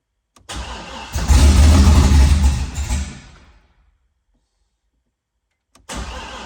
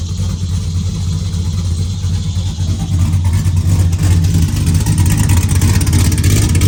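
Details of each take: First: Car after transmission-area reassembly, fuel pump ground disconnected so pump not running, oil pressure building: engine catches with a rough uneven chug, flares a couple of seconds, then dies; starving for fuel. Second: Car back together after the rear cover was refitted with a centering tool runs with a loud, deep open-exhaust rumble that rises with throttle and settles to an even beat; it has no tune, so it only started with some gas pedal.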